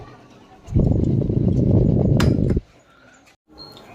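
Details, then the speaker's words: Korean Electric table fan making abnormal noise before disassembly: two-second burst of loud, low, rough rattling at about four pulses a second, then quiet; cause not yet found. "ये देखिए दोस्तों, ये table fan आया है हमारे पास Korean electric का। लेकिन ये फैन आवाज़ आ रहा है, ये आवाज़ सुनिए।"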